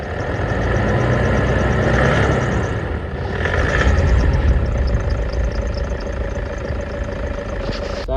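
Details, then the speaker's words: Toyota Hilux at idle with a thin steady chirp holding pitch with engine speed: dry idler pulley bearing squeak persisted after greasing one bearing; another ungreased pulley was then greased to test. "me and Jai have been for a drive and the squeak is still here. Well, it was still here."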